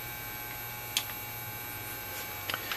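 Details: Trace Xantrex SW4048 pure sine wave inverter, 4000 W continuous and 8000 W surge, 48 V DC battery input, idling with no load: a quiet, steady low hum with a few faint ticks and nothing rough. Normal inverter hum.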